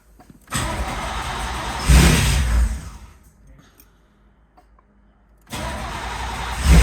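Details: Non-running 1989 Chevy Camaro IROC-Z convertible, 305 TPI LB9 V8, long sitting; starting fluid sprayed into intake through a straw. It catches in ragged bursts, dies, then backfires loudly through the intake with flames.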